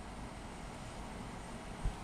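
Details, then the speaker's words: 2019 Goodman GSZ14 heat pump at 31°F with its fan not running: a deep, strained compressor hum with one dull thump as it labors and struggles to start; owner suspects a bad capacitor. "Man, it's trying to start right now. It's not working. It has probably has a bad capacitor something."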